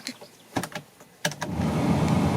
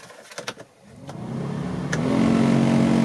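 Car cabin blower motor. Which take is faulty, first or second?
second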